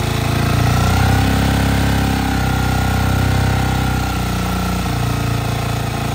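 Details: 2021 Honda TMX 125 single-cylinder motorcycle, little used and hard to start, battery suspected weak, running with choke raised slightly; steady putter, slightly raised even idle, no knocks or misses; runs fine.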